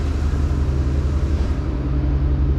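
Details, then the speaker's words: LS-swapped Jeep Wrangler JK Rubicon after tapping the newer starter: steady low rumble, even beat, no chatter or clatter; the noise is gone. Suspected starter gear hanging up against the flywheel or flex plate; bolts checked fine. "because we just tapped on it a few times, and guess what? It's gone. The noise is gone."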